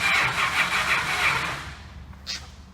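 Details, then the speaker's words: 1968 Chrysler 300 440 TNT V8 on first start after sitting a long time: loud cranking with a few ragged catches that fade, then a short sputtering puff as it fires briefly, blowing rusty water out of the tailpipes. "i can hear it like i'm gonna blow blowing sound blowing out telling where that's coming let's see what's the back door what's going on back here you still got water coming out back here"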